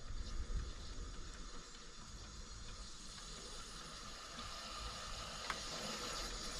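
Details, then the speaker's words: Pressurised cooling system with hoses reconnected: bubbling and a continuous airy hiss of escaping pressure. The heater core is cracked and leaking water. "słychać tam jakieś bulgoty dziwne odgłosy mówię Nie wiem ile powinno być ciśnienia gotującej się"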